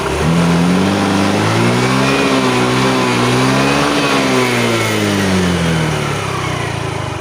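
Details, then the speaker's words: Yamaha Fino fuel-injected scooter that stalled while riding and then would not start; plug, electrics and fuel checked OK, throttle body cleaned: now starts easily and revs smoothly and evenly without hesitation or popping, normal revving. "แต่ก็โชคดีนะครับสตาร์ทติดง่ายอยู่นะครับสตาร์ทติดแล้วก็เร่งดีอยู่นะครับ"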